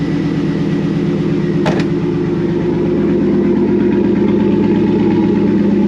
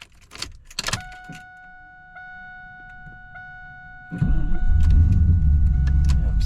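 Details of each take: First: 2001 Pontiac Trans Am WS6 LS V8 idling after replacing the starter (owner suspected failed solenoid kept cranking after start) with an AC Delco unit: steady, even, smooth low rumble, no starter clicking or grinding; healthy. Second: 2001 Pontiac Trans Am WS6 with LS engine: after the chime, a loud continuous grinding whir keeps going after the key is released to on and even removed; starter stays engaged, suspected failed solenoid or gear not retracting.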